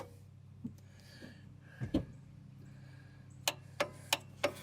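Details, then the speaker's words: 43-year-old International Transtar II truck, sitting over 20 years: sharp clicks about three a second with the starter held and no cranking; starter solenoid suspected broken, and wiring near the shifter was sparking. "that solenoid is broke over there is what what the trouble is"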